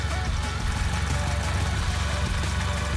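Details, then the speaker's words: B8 with a CTS BOSS 500 turbo newly installed, first run, with new exhaust parts burning off smoke. Steady, even low turbo-four idle with no knocks or misses; idling normally with no leaks. "there's that smoke I was talking about that'll eventually stop idling pretty normal"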